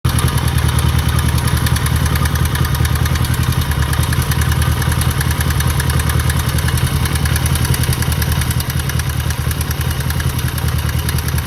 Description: 1969 CB350 K1 has a bit of a rattle in the engine